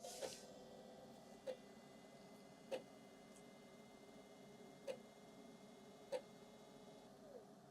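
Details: Amiga external 3.5" floppy drive, suspected worn or failed electronics: quiet hum with a sharp click roughly every second and a half, unevenly spaced, as the drive keeps seeking; disc reported unreadable before a head-cleaning disc is tried. Cause unconfirmed.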